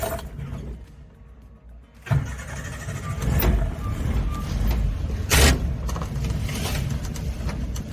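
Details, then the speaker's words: Suzuki Samurai after breaking down: the engine fires into a lumpy idle that surges and sags unevenly. Owner wonders if using a breaker bar on the crank bolt upset the timing. Rough idle, cause unknown. "it is idling just terribly gosh I don't know I don't know what happened"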